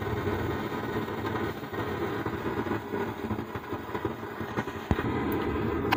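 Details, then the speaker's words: Stranger PBT501 (PVT-5) amplifier opened for repair: a constant storm-like rushing roar that stays the same with the volume up or down. The driver board is reported OK. "दोस्तों कैसे आवाज है जैसे तूफान की तरह आवाज है तो यही प्रॉब्लम है"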